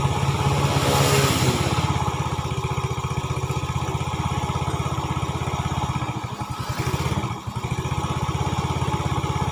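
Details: 2010 Yamaha Vega ZR single-cylinder, after repairing a rough knocking noise from the piston/cylinder-head area (oil was empty, piston to be replaced with a +50 oversize), running after reassembly: an even putter with no knocking or clatter. Normal idle.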